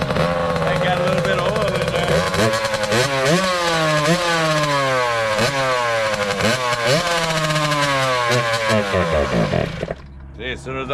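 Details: 2003 Kawasaki KX60 two-stroke project bike: revs unevenly on choke and cuts out when the choke is turned off, so it only runs on choke; the engine dies when the choke is off.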